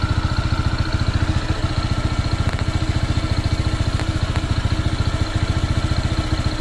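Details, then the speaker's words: Honda PCX 160 scooter, new and not yet broken in at about 38 km, idling with a regular thump near 3.5 beats a second and a light clatter; the noise persists and gets louder, and the owner suspects it needs break-in. "nga oh may tumutunog pa rin oh yun lumakas"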